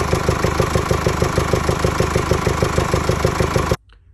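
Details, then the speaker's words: 2017 Mercedes E220 diesel (OM654 engine) at idle: a deep, rhythmic, heavy blowing chuff of about three pulses a second that seems to come from the air intake. The rocker roller bearings have failed and damaged the camshaft lobes. "you heard in the video, it is like a deep blowing noise coming from the air intake system. The cause of this noise is the rockers on the valves failing and damaging the cam shaft loes."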